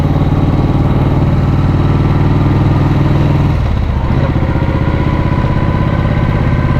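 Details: 1937 frame/1940 engine Matchless Model X 990cc side-valve V-twin, after two years of poor starting and running problems, started second kick, riding: steady even thump with one brief dip off throttle, no knocks or rattles; running nicely.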